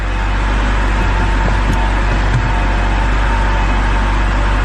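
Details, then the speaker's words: 2010 BMW X3 idling after fixing a large suspected vacuum leak behind its fuel mixture codes. Steady, even low idle with no stumble, hunting or hiss, and the check engine light is gone; the owner plans a drive to confirm no codes return. "hopefully it's good i think it's good it's idling pretty good right now so pretty stoked"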